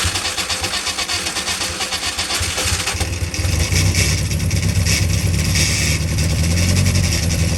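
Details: Freshly built Carter 998 engine on its first dyno run, carb still being set up, about 80 psi oil pressure. A strong, steady low rumble that picks up and holds evenly, no misfires or knocks. Sounded sweet; normal running.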